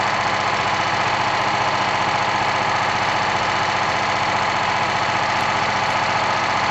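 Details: BSA 220 old stationary engine from an estate sale, motor and carburetor in very good condition for its age. Steady, even firing with a smooth dense exhaust note, no knocks or misses; normal healthy running.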